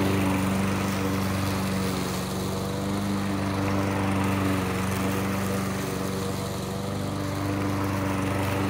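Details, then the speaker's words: Briggs & Stratton engine on a Murray lawn mower, reassembled with a new crankcase gasket after compression loss, cutting tall grass: steady, even drone holding speed under load, no misses or knocks. Normal running. "so there you have it it's running again I don't know for how long"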